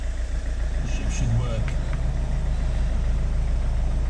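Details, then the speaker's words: Citroen C4 Grand Picasso diesel cold start at minus one degrees after a diesel filter change and priming to bleed air: even, low clatter with no hunting or stumbling; normal cold idle. "yeah we're all good it's been a cold day as you can see minus one"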